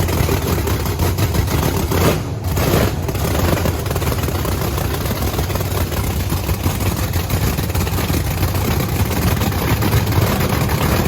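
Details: Supercharged Camaro race V8 after refuelling; loud, lumpy but steady idle with a deep, even rumble and no knocks or misses; two bigger-jetted cylinders run about 60–70 degrees cooler, which is not worrying; engine healthy.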